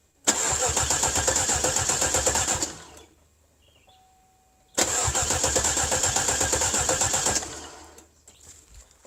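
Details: Cadillac with a 300 HP Northstar V8: two bursts of steady cranking at about four turns per second with no catch. A theft system warning appeared, but the cause was a blown PCM battery fuse; cranks but never fires.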